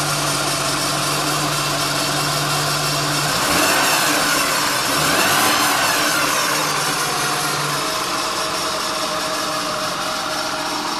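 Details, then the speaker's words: 2003 Acura TL automatic, 169,000 miles, codes cleared; it won't stay in gear beyond about 200 feet, hot or cold. A low hum at idle with a churning, slurping swish rising and falling; transmission repairers blamed a failed torque converter. "It sounds as if water pump is trying to prime itself, and it's like licking the fluid, or I don't know what it is, but at this point I'm determined to remove the transmission."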